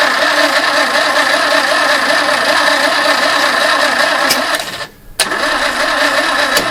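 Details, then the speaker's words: Barn-find 2CV flat-twin three-wheeler stored 25 years, choke pulled, what sounded like the fuel pump running and fuel smelled: starter spins engine evenly two to three turns a second, never fires; starter overheating and slowing. Long crank no start. "những gì chúng tôi nhận được là bộ khởi động bây giờ quá nóng và nó bắt đầu chạy rất cục và chậm"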